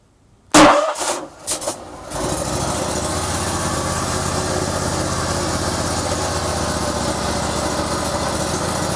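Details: Vanguard 35 hp road cutter, fuel fed manually, fuel solenoid valve not clicking: a few sharp cranking thumps, then it catches and settles into a steady, even idle with no misses.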